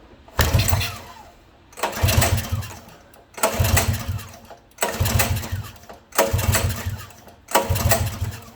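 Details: Coleman CT200U mini bike: six short bursts about every 1.5 seconds where the engine catches briefly and dies each time; a fuel delivery problem is suspected, possibly a pinched fuel line, cause not confirmed.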